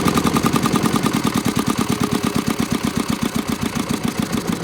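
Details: 1979 Sian single-cylinder diesel from the Republic of China, revived after years sitting (seized injector pump from rusty fuel tank, weak rings, pitted valves), hand-cranked with compression release; slow even thumping, about six firing knocks a second, clean rhythm; normal running.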